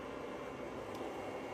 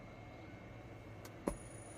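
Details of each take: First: Stetsom high-voltage Class D car amp run on 400V DC from an EV traction battery, after fitting an external high-voltage capacitor output filter against the 8.74 kHz switching whine: only a faint even hiss, no high-pitched squeal; output clean and quiet. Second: Stetsom high-voltage Class D amps run at 400 V from an EV traction battery: a click at switch-on, then a thin, steady very high whine; switching ripple (about 8.74 kHz, plus ~1 MHz) leaking to the speaker output.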